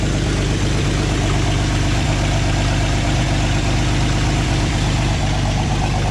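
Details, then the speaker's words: 1986 GMC S15 Sonoma Sierra Classic pickup idling, not yet fully warm: a deep, steady idle with a raw puffing edge under the rumble. The owner knows where the massive exhaust leaks are; the sound suggests leaking at the manifold joints. "as you can hear maybe on the video I've got some massive exhaust leaks and I know exactly where they're coming from"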